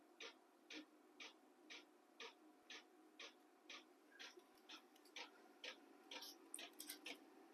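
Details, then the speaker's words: Battery-powered 12 V diesel heater in a cargo container workshop, running at setting H2 of H1–H6: crisp, even ticks about twice a second over a soft fan hum. Normal dosing fuel pump clicking. "that clicking noise is the pump and right now I've got it set on um hopefully this shows up in the video but I've got it set at H2 and I think it goes from H1 to H6"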